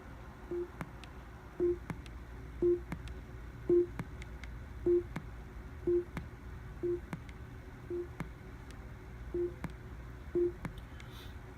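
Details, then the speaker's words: Amazon Echo Show internal speaker making a volume-change tone: short low beeps bracketed by sharp pops, worsening since March, unchanged after repair, absent via Bluetooth speaker; suspected internal audio amplifier switching on and off. "as I've been using it longer and longer the popping is been getting louder and louder such that if I change the volume here and it makes a little tone you'll hear the popping noise"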